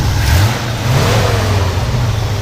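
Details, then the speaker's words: 1968 International Harvester Travelall 1100 half-ton V8: quick throttle blip, deep even rumble, smooth and steady with no knocks or misses; any light clank is the exhaust manifold heat dampener, normal. Runs really good. "You know, it sounds really good. So this is the kind of rig, I mean, I wouldn't have a problem someone flying in and driving it home."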